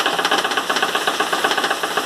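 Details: 2012/2013 Chevrolet Classic LS driving on a rough cobblestone road: rapid, hard rattling knocks from the door. The window glass channel was loose because its screw had backed out, letting the glass bang.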